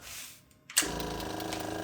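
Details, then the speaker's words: Yamaha V-Star 1100 project with new fuel filter, cables and rebuilt carbs, fed from an auxiliary fuel tank: at key-on a steady fast electric buzz and ticking as the fuel pump primes normally. "get the fuel pump working, get it primed up."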